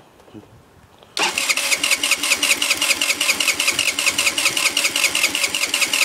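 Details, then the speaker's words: 50cc scooter with only 500 miles. Spark plug, ignition coil, fuel filter, CDI, battery and carburetor have all been replaced. The starter cranks evenly at about 2.5 beats a second, but the engine never fires, even with starting fluid. Cause unknown. "won't start even with starting fluid it won't start I guess I don't know"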